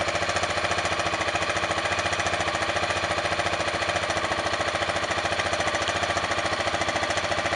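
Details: Honda NX650 single cylinder at steady idle, with smoke reported. A sharp, even tapping of about 3–4 per second rides over the exhaust; a knock of unknown cause.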